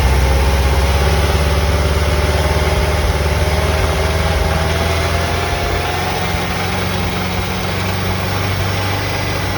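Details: 1990 VW Vanagon engine at cold start idle: loud steady knock a few times per second on the engine rhythm, easing slightly; knocking lessens after about 10 minutes of running; source undiagnosed.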